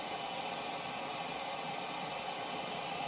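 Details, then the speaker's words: Pole Position 2 arcade board, first test after modification: constant even hiss buries the game audio, with an explosion sound audible; noise fault suspected in the board's audio section. "We got a little bit of a vertical issue, so let me get we have a sound issue up top. The sound is very strange, but we have a very working pole position too."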